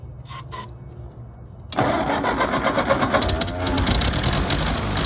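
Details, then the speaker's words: Ford 9N tractor that sat for five years, after carburetor reassembly, fires on ether with the gas tank off, catching at once and settling into a steady, even run; normal start. "there we go fired up that's a good little tractor"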